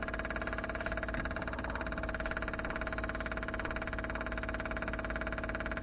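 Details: Daytona 4WD, new temporary fuel system with lift pump, surge tank, booster pump and adjustable regulator: steady electric hum with faint even pulsing holding level; lift pump running normally while filling the surge tank.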